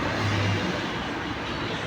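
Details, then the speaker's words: Yamaha NMAX V1 after rebuild for camshaft bearings worn out from oil problem, new block, refilled with coolant and oil: soft even running, smooth low hum with no ticking or knocking; now quiet. "Ayan na. Tahimik na. Walang maingay."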